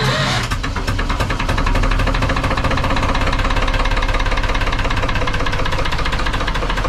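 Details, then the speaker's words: Lister HW3 three-cylinder diesel narrowboat engine, freshly serviced, started with a little throttle and run with the rocker covers off; loud, even clatter with brisk regular valve-gear ticking and no odd knocks. Normal running. "i've turned it off again a bit noisy that wouldn't it but yeah you get to see the valve gear and the rocker gear working away there yes nice to see but it's all good"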